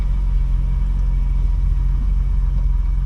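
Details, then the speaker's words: 1985 BMW 635CSi after installing a new Bosch ignition coil: starts right up and holds a smooth, steady low idle with an even rumble and no knocks, misses or hunting; running healthy. "Well, there, it started right up just like that."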